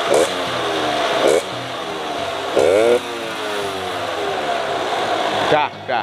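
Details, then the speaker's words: RC100 two-stroke, set for economical daily use: short throttle blips rise and fall back cleanly, crisp and even with no knock or stumble; engine fairly smooth, healthy. "mesinnya Ya bisa dibilang cukup halus Kalau kita dengar langsung"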